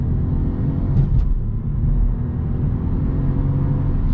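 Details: Under throttle from a standstill with start-stop inactive, the CVT gives a smooth, low engine drone that rises steadily with no flare or shift jolts. It pulls away cleanly to 50–60 km/h and sounds healthy.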